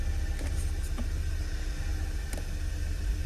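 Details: 2013 VW 2.0 TSI petrol, cold start or after sitting: rough, stumbling misfiring idle; scan shows misfire counts on cylinders 1, 4 and heavily on 2, with new coils and non-leaking injectors; cylinder 2 to be dismantled, cause unconfirmed.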